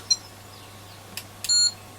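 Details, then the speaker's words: ESR meter testing 4.7 capacitors removed from Sony ICF-2001D receiver during recap: short double chirp then longer steady beep, warning of high ESR (about 5.6–6 ohms, versus 2.6 for new); capacitor no good. "and it's given like that noise. No good. It's strange. Those are all high."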